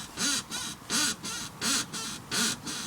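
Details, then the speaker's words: Jaguar X-Type in winter after gritted roads: a rubbery creak about every 0.7 seconds over bumps; owner suspects road salt in a suspension rubber bush, such as the top link bush, making it squeak. "so I reckon the salt's got somewhere in one of the bushes and making it squeak"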